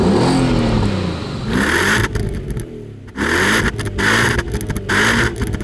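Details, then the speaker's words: Stationary free revs, no soft limiter, on a D2 Audi S8 with a 360hp 4.2-litre naturally aspirated V8: sharp, clean blips rising quickly and falling back to a steady idle, three or four times, no misses or rattles; healthy. "Back in the day, Audi didn't mess about with soft limiters and you could just rev their cars out when they're stationary. And this car sounds particularly good when you rev it."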